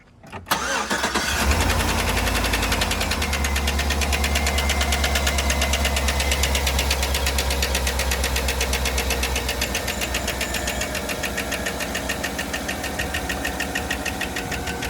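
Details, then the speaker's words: Chevrolet Suburban 5.3 LS V8 cranks and idles with a steady light tick about three a second; misfire traced to cylinder 4 after a spark plug change, bad coil suspected, lifter tick not yet confirmed. "but we found out that the problem is on cylinder 4 but it has not been diagnosed as a lifter tick yet"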